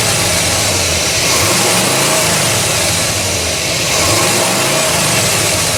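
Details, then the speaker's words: 1969 Buick GS with a freshly refreshed big block (400/430/455) and an eBay distributor: loud, uneven idle with an irregular chuffing lope and a harsh rattly edge; the ignition timing was grossly over-advanced. "Um, it was grossly overtimed [Music] um by a lot. I'm surprised it was would start so well."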